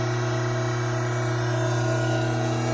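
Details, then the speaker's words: Hydraulic pump under normal operating conditions, before an inlet restriction: steady even hum with no rattle or crackle; inlet vacuum 3 inHg, pressure about 310 psi, no cavitation. "Under normal operating conditions, this pump has a vacuum of 3 inches of mercury."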